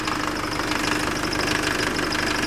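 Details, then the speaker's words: Nissan Frontier diesel; customer reports hard first start in the morning, lack of power and engine noise; a fast, light metallic rattle rides over the idle; cam/crank timing out of sync. "o cliente nos relatou que dificuldade de pegar de manhã na primeira partida falta de potência e também barulho no motor"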